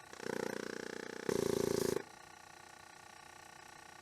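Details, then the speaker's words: Nissan 200SX S12 project car: electric vacuum pump buzzes, swells louder, then drops to a softer drone but never shuts off as it should; a leak is heard from a hose, and the owner wonders about a sensor. "still aware you can hear it's leaking from this hose interesting that pump's supposed to be turning off and it is not I wonder why that is"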